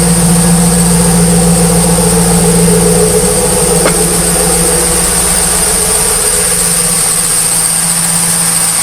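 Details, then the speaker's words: 1998 Pontiac Trans Am after starting, chirping that lasts about 10 minutes: quick regular chirps, three or four a second, over a steady idle; the owner was unsure it was the belt, later found to be a dry-rotted A/C belt. "I'm not sure if it's the belt. And you can hear this throughout the whole entire garage. It's annoying."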